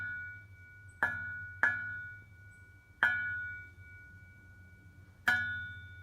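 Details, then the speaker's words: Mazda Miata with Goodwin Racing Helmholtz exhaust, tapped by knuckle: four sharp taps each leaving a clear metallic ring fading over half a second from the Helmholtz chamber; owner suspects this bell-like ringing causes the rasp under heavy acceleration around 2200-2500 rpm. "That ringing sound is kind of a derivative of what I get under heavy acceleration around 2200-2500 RPM on up."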